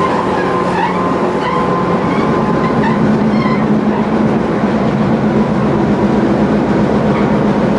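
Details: Tobu 20000 series car MoHa 24803, AFE chopper control, interior recording on a canted curve, Kasukabe to Kita-Kasukabe: steady rumble and motor whine with wheel-flat pounding that swells and fades as left-right load shifts.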